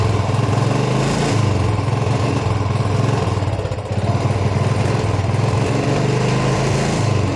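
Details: Royal Enfield single after cleaning rust from the petrol tank and filter to fix missing: steady, even low thumping idle with no stumbles or dropouts, running smooth and clean.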